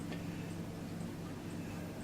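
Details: Old electric clock movement with brass wheels and cogs: quiet steady hum with faint, even light ticks about twice a second and no grinding; movement running smoothly.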